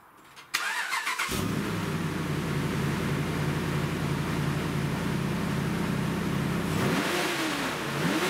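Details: Dodge Ram V8 after a service with all 16 spark plugs and the filter changed, first start check: cranks briefly, catches cleanly, settles to an even steady idle, then a quick throttle blip; normal start and rev.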